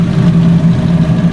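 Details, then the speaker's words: Fiat 500 first start after a DIY timing belt replacement, cooling system not yet bled, some steam from oil residue: steady even low idle hum, no knocks, ticks or hunting. Normal idle, timing belt change apparently successful. "Sounds good, guys. Sounds sweet as a nut. I think I've successfully changed the timing belt."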